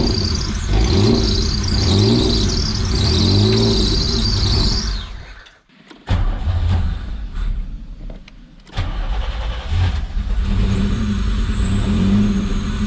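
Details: 1985 Pontiac Fiero engine, first start in 19 years on starter fluid, fuel pump suspected dead: catches and runs rough a few seconds, then dies and stumbles out; 60 psi oil pressure, no fuel delivery.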